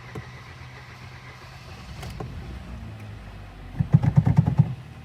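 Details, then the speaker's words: Hyundai Solaris 1.6 G4FC, apparently a 2012, at 261,000 km, first start after engine rebuild with new Bosch spark plugs: quiet cranking for a few seconds, then firing pulses as it catches cleanly, oil pressure up; normal start. "давление пошло все хорошо"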